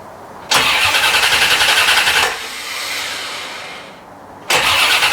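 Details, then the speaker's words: 1990 C4 Corvette rebuilt after a blown head gasket, radiator not yet fitted, about 4 gallons of premium just added: the starter cranks steadily in two tries of about two and four seconds, but the engine never catches. It only tries to start on starting fluid; the fuel pump is not running. "it should start uh but it's just turning over and when i spray it with starting fluid it tries to start"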